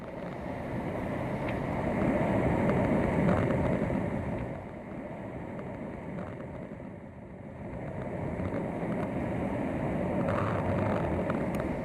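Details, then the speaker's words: Pool leak detection with listening equipment at the pool light: steady rushing hiss swelling and easing as water escapes through a cracked light conduit. "sound you heard was rushing water rushing through the back crack and a light conduit"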